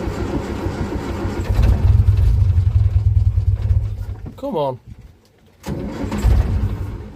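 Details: 1947 Austin 16 off the road since 2008, after fuel pump rebuild, petrol in the carburetor, oil checked, a little choke; starter grinds the engine in an uneven low churn, stops, cranks again without a clean catch yet.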